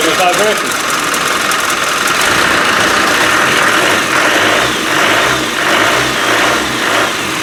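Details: Land Rover 300Tdi diesel after engine rebuild, first start-up following fuel pump problem, running on water for testing: even clattery idle, picks up smoothly when revved, firing steadily with no misses; normal idle and revving.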